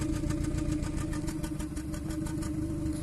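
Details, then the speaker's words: 2014 Kia Cerato at idle with injector 3 cut by actuation test while cylinder 1 already misfires: uneven lumpy beat, cylinders 3 and 1 both dead; cylinder 1 is the misfire. "تفتفتين، يعني السلندر الثالث والأول."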